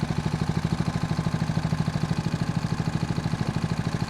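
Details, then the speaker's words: Homemade outboard on a sea trial, in gear at idle, trolling at 4 km/h (about 2 knots). The engine surged slightly and hesitated on throttle beforehand. Here it gives an even, steady putter with regular pulses and no misses, quiet and effortless: a normal idle. "This is idle speed. This is actually pretty nice. It isn't really noisy, and it seems effortlessly for the engine."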